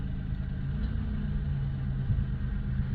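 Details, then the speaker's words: LN3 3800 V6 (1988–91), idling with AC on after the harmonic balancer (crank pulley) was replaced: low, smooth, steady rumble with no knocks, ticks or wobble. A clean, healthy idle. "I think she sounds pretty good to me."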